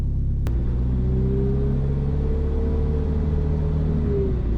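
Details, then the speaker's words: Volvo with a failed turbo, driven to the workshop after it broke: a steady pitched whistle rises over the engine rumble as soon as throttle is applied, like a ghost train or whistle tips; an unhealthy, worn-out turbo. "like a [ __ ] ghost train see as soon as you put any throttles whoo i got a ric flair care i got one of those whistle tips in it the whistles got woo yeah that don't sound healthy"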